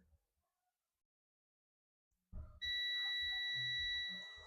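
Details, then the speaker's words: Dell Latitude E5250 logic board, no power and not charging: with the multimeter in beep mode the first capacitor stays silent, then the second gives a steady high beep; it is shorted to ground, about 0.0–0.6. "You can see the first capacitor is not beeping. Look at that. Nothing is good. The second capacitor is beeping. You can hear the sound."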